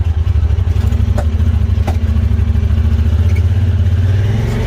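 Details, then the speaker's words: Honda Pioneer 1000, warmed up, limited to about 45 mph in top gear and hanging up in gears. Under throttle the drone surges and sags, stuttering without building power. The owner suspects the fuel pump or fuel pressure regulator; the oil and plugs are recently done. "if you try to accelerate listen to what it does do you hear that it's just it's all over the map making no power it's jumping real bad it's stuttering real bad"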